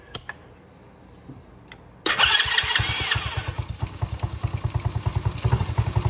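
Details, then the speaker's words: Venom Racing Madix 125cc ATV after start-up, before adjusting the gold idle screw clockwise: slow, uneven thumping about four beats a second, barely staying lit; idle set too low. "And you see that the idle is pretty low."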